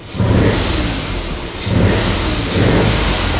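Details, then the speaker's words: Citroen Aircross 1.2 three-cylinder 82 PS petrol engine, started after an earlier no-start: slightly uneven three-cylinder thrum that swells smoothly with throttle blips and settles back; normal idle and revs. "I mean if I straight up when um when I tried it then I mean it sounds okay it sounds like a three cylinder"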